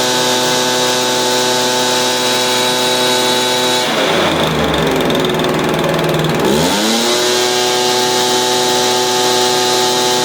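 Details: Stihl BR350 blower, formerly backfiring out the carburetor, after fitting the correct ignition coil to fix timing (knockoff coil was wrong); steady high two-stroke buzz, brief drop to idle and smooth climb back, no popping; runs clean now.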